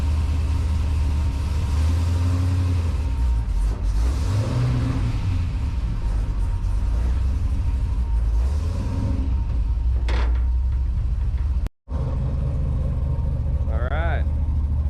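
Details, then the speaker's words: Chevelle with a 370 LS V8 at start-up, cam and short exhaust with mufflers and cutouts: deep, lumpy idle with steady cam lope and low exhaust rumble, no knocks or misfires; owner thinks there may be a faint exhaust tick; normal idle. "Starts right up, no problem. It's got a decent sounding cam on it. It actually runs really quiet for the exhaust that's on it."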